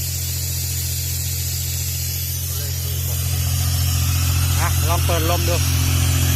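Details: Used Airman PDS90 air compressor with 3-cylinder diesel engine, restarted after pull-stop: steady deep diesel drone with even low throb, growing slightly louder as air opens; starts easily, gauges normal, strong air. Normal running.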